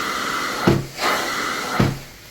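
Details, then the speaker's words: Truckmount carpet extraction through two 50-foot hoses to a Boss filter plus roughly 250–300 feet more of hose, up to a third-story apartment: steady strong rushing hiss with a faint whistle, broken by wand strokes. Suction still healthy despite the long hose run. "the suction is still pretty decent."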